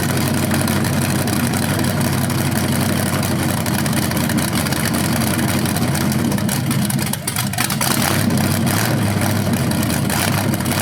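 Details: First run of a BluePrint 396 big-block crate engine on a stand outdoors for a 1970 Camaro SS, with headers, oil primed and timing checked: deep, even-firing rumble with a brief rev blip, no misses or knocks; sounded good, though revving sounded different, possibly headers or flywheel.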